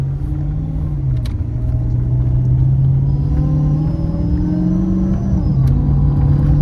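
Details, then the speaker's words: Dodge Charger R/T 5.7 V8 with 3.0 Whipple supercharger, in-car under light acceleration: deep rumble with a faint high whistle rising alongside it, normal supercharger whine. "I don't know if you can hear that, but it's whistling and whining, which is fucking awesome."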